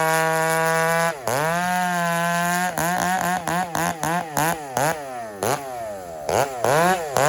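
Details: Husqvarna 394 chainsaw just fired up, sharp repeated revs to full throttle off the wood: climbs and drops quickly with slightly burbling top end; slightly rich carburettor tune.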